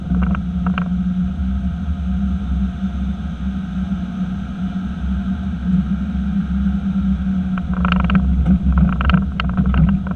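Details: 2018 Chevy Silverado, one year old with 6,400 miles: steady low truck rumble broken by a short cluster of sharp clunks from the rear end, then a lone knock.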